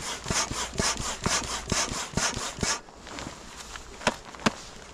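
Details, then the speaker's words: Double-action hand pump inflating a Gladiator Elite 12'6" x 32" SUP board: steady whooshing strokes about two a second, drawing air on both up and down strokes; pump working normally. "вот смотрите я тащу вверх Да вот работает он и здесь засасывает и здесь засасывает То есть у нас сейчас и вверх и вниз насос"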